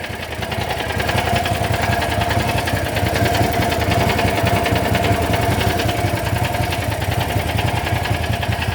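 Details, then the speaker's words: John Deere GT225 lawn tractor, charging from a Landmaster about 5 minutes: steady starter churning about 3.5 beats a second, engine never fires; cranks, no start, cause unknown. "This thing don't start, I really don't care anymore. Never been this bad."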